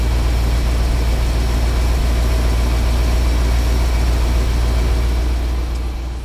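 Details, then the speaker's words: Ford F750 haul truck, stock 1974 Ford 391 V8, idling in smoky shop, won't run past idle, being pulled; steady deep rumble with even pulsing about three to four per second, no knocks or misses; normal idle. "Sounds good. It does sound good. It runs real good. Quiet. Yeah, it is quiet."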